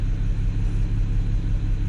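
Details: BMW E92 335i, N54 engine: rough, lumpy idle with a pulse felt on top of the engine. Misfire persisted after the coil was moved to another cylinder; code logged for cylinder six; new Bosch coil fitted.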